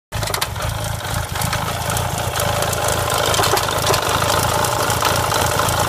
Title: Misfiring rattling clio 172 cup